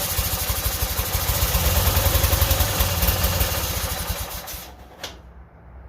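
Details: Yardman 13785L lawn tractor, Briggs and Stratton two-cylinder engine, after refueling because it had died running on choke (suspected out of gas or bad gas). Fires up promptly and runs with a quick, even chug for several seconds before quieting. Starts and runs normally.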